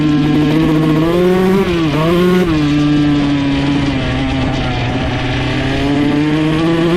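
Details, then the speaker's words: 2001 Honda CR125 two-stroke after top-end rebuild for deformed piston ring and low compression, main jet changed 380 to 370: crisp steady scream at full throttle, revs out fully without breaking up; normal full-throttle revving. "I mean, it's not breaking up at all top end anymore. So, when you gun it full throttle, you can watch in the GoPro footage, it actually revs out all the way and stays consistent throughout."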